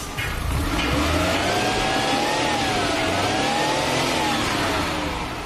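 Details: Maruti Suzuki 800 after fixing a starting problem traced to the ignition coil resistor fuse, which is worse in rainy weather: it starts cleanly and revs up and back down smoothly with an even exhaust note and no misses.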